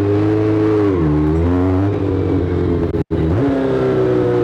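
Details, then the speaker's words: 1983 Kawasaki GPZ550 four-cylinder with aftermarket exhaust, after carburetor rework, tuning and airbox restored in place of pod filters (previously idled near 6000 rpm): smooth, even idle after a short throttle blip, no misses; healthy running. "so we got the bike running nicely it sounds fantastic everything's put back together"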